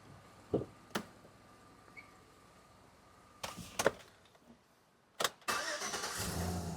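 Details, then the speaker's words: Chevy Avalanche V8 with an intermittent no-start restarted: a few clicks, then the starter catches quickly and the engine fires straight into a steady idle. Clean, fast start. "And it's going to start perfectly every time."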